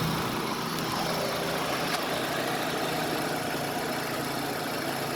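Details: 2005 Nissan Altima being checked for a misfire: steady, even hum with no stumble or knock and a constant level throughout; the engine idles smoothly.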